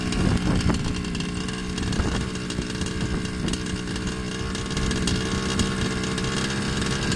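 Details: Baja RC two-stroke, customer's engine, after cleaning and adjusting the original carburetor: loud, buzzy, slightly rough steady idle that never cleans up, running poorly. Carb versus piston ring was unresolved at this point.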